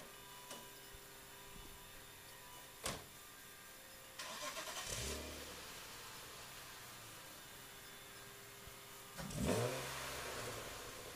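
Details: 1996 BMW 328i engine revving, exhaust and intake, after power steering pump and belt tensioners were replaced: clean throaty blips up and down with no whine; previous whining noise eliminated.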